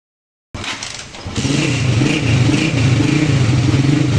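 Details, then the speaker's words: CG150 pushrod single-cylinder motorcycle after repair: new camshaft and both new gears replaced worn ones; engine starts and settles into a steady even idle with no cam noise. "ya con esto vamos a tener un sonido estilo original un excelente sonido ya que con la leva nueva y ambos piñones nuevos ya no puede haber el ruido todo está solucionado"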